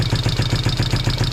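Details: 1973 Honda CB350 twin, first start after 18 years sitting outside, with valves and timing adjusted: an even, steady idle putter of about seven pulses a second with no ticks or misses; it sounds healthy.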